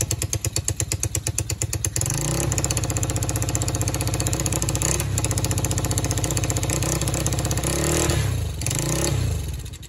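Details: Just-acquired free quad (four-wheeler) with spark confirmed and solenoid jumped since the start button doesn't work; rapid cranking, then it catches into a lumpy, uneven run that surges and dips. It runs rough, and the carburetor still needs fixing.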